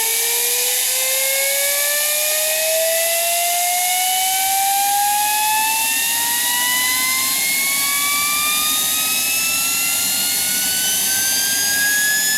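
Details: Student-built gas turbine made from a turbocharger, propane-fuelled, throttle cracked about a quarter. Steady high whine climbs smoothly as it spools up, running on its own without surging: normal running.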